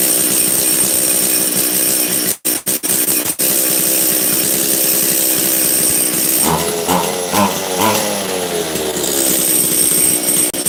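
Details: Makita DCS540 two-stroke chainsaw after low-jet and choke adjustment. It buzzes along, then stumbles and sags on each throttle push instead of screaming up cleanly; the high-speed jet is too lean. The owner thinks it possibly needs a carb kit.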